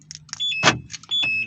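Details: Volkswagen Voyage door lock actuator after repair of its loud noise, panel refitted: two brief high whirring chirps with a solid thunk between, central locking cycling cleanly.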